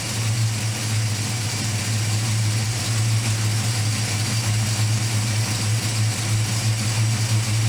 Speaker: I want to at least show you that our oh budget homebuilt small block Ford runs and sounds pretty good